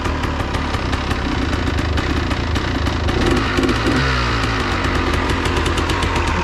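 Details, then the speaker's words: Freshly fueled two-stroke machine that has sat unused, idling from a cold start: loud, crackling two-stroke idle with a busy, uneven patter while it warms up; normal for a cold-blooded two-stroke. "definitely want to let it warm up a little bit push your luck don't rush it stroke man those suckers are cold-blooded"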